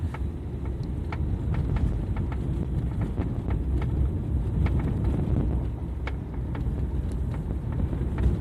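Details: Renault Fluence while driving: sharp, irregular light knocks above steady road rumble, a loose rattle from the door area with no clear source yet; knock from door area.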